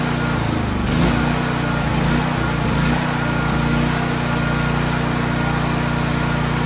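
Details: Troy-Bilt XP generator, full fuel and fuel valve on: small single-cylinder engine catches within a second and settles into a steady, even buzzing run with no misses or surging.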